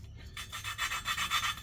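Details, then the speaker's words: Hand lapping the exhaust valves of a Toyota 3UZ-FE V8 cylinder head with grinding compound and a plunger tool. Quick gritty back-and-forth rasping that changes and smooths out as the valve cuts into its seat. "And you'll hear that there's a change in the sound of the grip when you start getting into actually cutting the valves, and it starts to smooth out."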